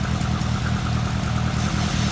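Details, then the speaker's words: Barn-find Lotus Elan Sprint big-valve twin cam, off the road since the early 1990s, dust-covered, just restarted with ignition previously redone: steady, even idle, smooth low beat, no knocks, misses or ticks. Normal idle. "Absolutely covered in dust. swallow poo and swallows eggs, but it's still idling."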